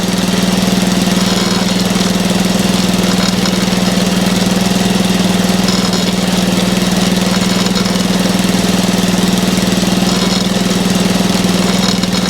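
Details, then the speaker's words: Atco Balmoral reel mower after belt adjustment at the output shaft, cylinder not engaging: steady engine drone with a rapid rattling flutter about two beats a second and vibration; drive belt slipping and chattering, may need a new belt. "a bit of luck that will stop the chatter if the belt is able to to move freely off of the the output shaft"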